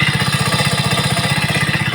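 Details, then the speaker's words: 2020–21 Hero HF Deluxe fuel-injected bike, cold winter morning start on first kick; engine temperature sensor reads cold oil so ECM raises RPM to warm it; quick even single-cylinder putter at raised idle, no misses, no smoke; normal cold-start fast idle. "लेकिन ये RPM ज़्यादा ले रही है, क्योंकि अभी इसके ECM तक पता चलेगा भाई कि बाइक अभी ठंड में खड़ी है।"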